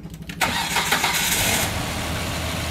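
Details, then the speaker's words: Car towed in with a shredded timing belt, test-started after fitting a new belt with only the crank pulley installed: a short crank, then it fires and settles into a smooth, even idle with no knocking. No valve damage. "You see, there's no engine relief, and it starts smoothly"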